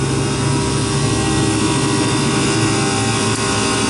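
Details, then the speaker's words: Refrigeration condensing unit after replacing the head-pressure fan control, leak-checked, sight glass green, cut-in being lowered from about 275 to 250: compressor starts with a steady drone and low hum, no rattles or squeal; running normally. "Compressor started up, and let's see if this kicks in at 250 or thereabouts."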